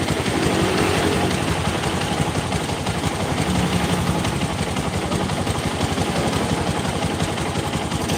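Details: Single-cylinder motorcycle engine idling rough with a loose tek-tek ticking, about three per second, over the exhaust beat; top-end ticking noise, cause unconfirmed.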